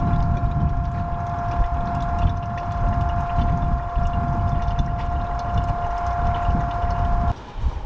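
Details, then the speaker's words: During a boat generator oil change, a two-way pump transfers the old oil out of a bucket for recycling: a steady mid-pitched whine with gurgling fluid, even until it shuts off. Pump running normally. "We're just pumping the oil. This is a two-way pump. We're pumping the oil out of this bucket so that we can dispose of this at the recycle center."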